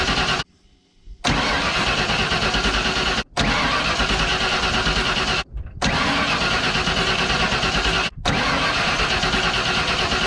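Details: 1992 Ford F150 XLT, 302 V8, E40D automatic: four steady cranking bursts of a few seconds each that never catch. Tests show all injector connectors working. The owner suspects dirty or clogged injectors, later found looking terrible. Cranks but no start.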